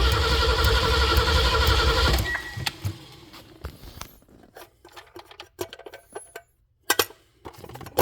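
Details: 1974 Ford van, sat 30 days in Arizona heat after fuel pump replacement and carburetor rebuild, air cleaner refitted: about two seconds of steady cranking roughly four turns a second, never catching. Owner checking whether carburetor gets gas; cranking no-start.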